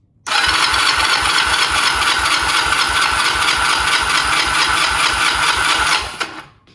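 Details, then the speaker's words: 1999 Honda Rebel 250 twin, carburetor removed, compression test on left cylinder (about 129–130 psi): starter cranks steadily about six seconds with even, regular compression pulses, no stumbles; normal cranking. "Go ahead and hit the starter button for a few revolutions."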